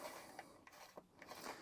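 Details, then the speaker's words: Lawnmower recoil starter removed and wound about 5 to 5.5 turns by hand: quiet run of light, uneven ticks and scrapes as it spins; recoil spring worn out. "Now, did you hear that noise? That noise tells me that this spring is actually knackered."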